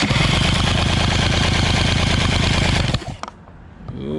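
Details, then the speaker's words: Outboard motor that sat without spark plugs, fuel pump and filter missing, cranked on battery for compression test: even strong cranking pulses, readings 110 to 130; good powerhead, healthy cranking compression. "looks like we got a 110 120 130. 110 130 again sweet we have a good power head 110 120 130 on the dot"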